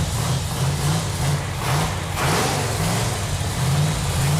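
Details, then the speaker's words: Chrysler 440 Six Pack V8 on an engine run stand, first run in about 40 years after fuel lines were tightened: deep, steady rumble with an even beat and no knocks or misses; normal healthy running. "It feels really good to hear that engine run. Yeah, feels good. That engine sounds so good."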